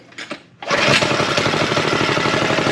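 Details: Go Power Sports Rascal mini bike, tuned with a bigger jet, choke off: small single fires on the first pull and settles into a fast, even putter with no misses or surging; runs healthy.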